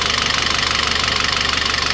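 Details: Citroën C4 2.0: fast, sharp metallic ticking at about fourteen per second over a quiet idle; oil pressure, oil pump and lifters all considered as possible causes.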